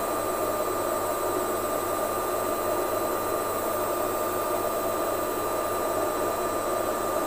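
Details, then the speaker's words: Lux Royal WH 1093i washing machine after replacing the inner drum and cracked spider with shaft: steady even high-speed whirr, constant hum, no rubbing, scraping or thumping against the door gasket; spinning normally. "sputaran kencang ini pun tidak ada suara gesekan pada gasket kemudian suara hentakan dari belakang drum pastinya sudah tidak ada lagi suara yang kasar"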